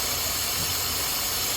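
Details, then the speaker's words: 2011 Buick Lucerne 3.9 L at idle with the PCV line removed during a PCV check: steady loud air hiss over a slightly uneven, rough idle; vacuum leak lowers manifold pressure, idle returns to normal when plugged back in. "so I'm going to remove it again it's going to run rough going have that"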